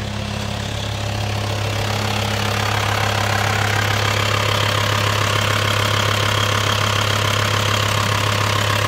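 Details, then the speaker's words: Freshly repaired VW T5 Transporter diesel after unit-injector removal, valve clearance setting and seal replacement, idling: steady even clatter about 3.5 beats a second, no shake; starts instantly, no smoke at idle — healthy idle. "вот работа двигателя такая движок не трясётся стоит ровненько"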